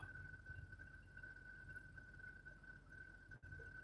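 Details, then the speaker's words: Truck driving, recent rear axle seal repair and new brakes and rotors three months earlier: steady fairly high-pitched whine at even pitch over road rumble; owner suspects a bearing, three repair attempts failed to find it. "Could you guys hear that noise? Give me a one. You could hear it. It's a bearing somewhere."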